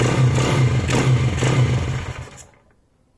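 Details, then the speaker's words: YCF SP1 150cc pit bike just converted from a Mikuni VM24 to a Keihin PE28 carburetor, choke on: single cylinder thumps unevenly, then fades and dies within about two seconds; it won't hold idle, as with the VM. "Tu vois, en mettant le starter, elle veut pas tenir encore comme le VM."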